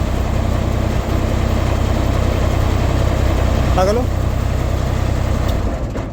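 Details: Skyjack SJ 135 scissor lift engine after replacing a blown non-resetting fuse with an automatic-resetting circuit breaker: idles with an even, steady beat and no misfires, then winds down smoothly at shutdown; runs normally.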